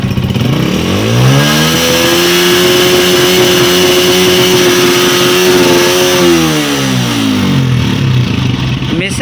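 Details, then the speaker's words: Honda CG 125 (2025 model) before repair: revs rise and fall with an uneven, stumbling beat and missed firings; air hisses from under the carburettor like a pressure leak. "वाकई आपके सामने वीडियो में आपको लाइव दिखा रहा हूँ, मिसिंग कर रही है बाइक।"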